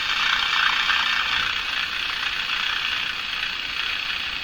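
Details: Crosley Moffat G-165 five-tube radio, after three paper/wax capacitors were replaced, tuned to a station: steady hiss with scratchy irregular crackle; owner suspects interference or a dirty capacitor, source not found.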